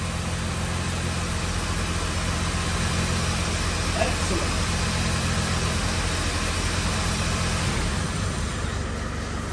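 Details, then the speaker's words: 2005 Mini Cooper S R52 running after repair work: steady, even note for about ten seconds with no knocks or misses; can only run briefly because of water in the system. "also can't run it very long he's got a water in the system but it starts obviously all the oily hand prints are burning off the exhaust"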